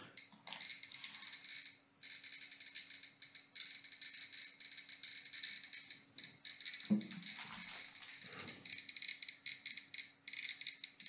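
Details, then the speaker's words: Geiger counter held to a thorium gas mantle, one of the strongest emitters: dense, irregular sharp ticks over faint handling rustle, the counter chattering quickly at elevated radiation. "also ja das hatten ein bisschen erhöhte Strahlung aber nicht super viel also das meiste was strahlt ist der Thorium Glühstrumpf und das Radio"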